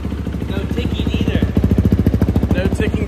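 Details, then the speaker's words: Race-built Kawasaki 450 dirt bike, freshly rebuilt engine after the old one blew up, first start: strong even thumping idle with no ticking, sounds healthy and quiet. "bomb that think sounds good huh than it did hell yeah it does it sounds really good that thing sick nice and quiet"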